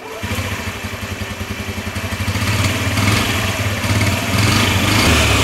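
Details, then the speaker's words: Cheap Honda Ruckus scooter after draining old gas and adding fresh fuel, fuel pump heard priming: catches quickly and settles into a steady, even putter around 220 pulses a minute; normal start and idle. "Sounds like a Honda again."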